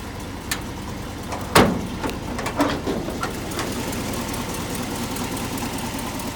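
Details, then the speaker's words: 1968 Ford F250 Camper Special, 360 V8 with C6 three-speed automatic, 3.73 Dana 60 rear, power steering, running at idle: steady, even low rumble with some handling bumps early on; normal idle. A passenger-side exhaust leak from a likely blown gasket has just started. "Gauges all work, fuel, charging, oil, and temp all work. Speedo works."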